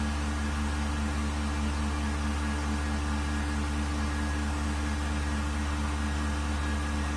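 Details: Vacuum pump on a 1600-litre mixer during a vacuum test with an empty chamber, gauge vacuum at 0.08 and rising; steady, even low hum with constant tone, no knocks or surging, quiet good-quality pump running normally.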